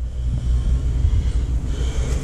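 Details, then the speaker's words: HVAC condenser with no cooling: heavy, uneven low hum droning as compressor tries but fails to start, contactor buzzing; 40+5 run capacitor slightly bulged, suspected cause, not confirmed. "all right we can hear the death buzz the buzz of a con well not death buzz but the buzz of a contactor so we're gonna kill that big disconnect oh it was trying to start"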